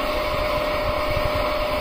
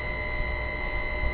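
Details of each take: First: Slightly older motor during VFD rotational auto-tune, running up to 50 Hz in both directions: constant hum with thin steady whine and faint rough rustle of moving parts; mechanical noise from age, a new motor would lack it. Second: currently it is obtaining the stator data and it is pushing the whole flux voltage inside the motor, which is producing this sound.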